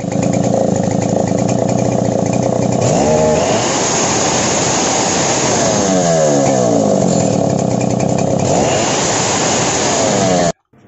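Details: Engine revs rise and sag unevenly with a rough, sputtering burble, sounding starved of fuel as if short of petrol and slightly snoring.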